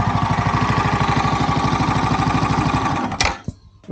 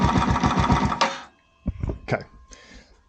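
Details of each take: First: Yamaha YZF R125 under crash-damage rebuild, fast idle during a check of the exhaust, then the engine stops: even single-cylinder beat, no ticking or puffing at the joint; no gaps, cracks or leaking fumes, only a new sleeve needed. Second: Yamaha YZF R125 under crash-damage rebuild, cold start in neutral: uneven fast chugging that drops almost to nothing, then stumbles back in weak sputters, nearly stalling before it recovers; owner says the idle may need fixing, no oil leaks.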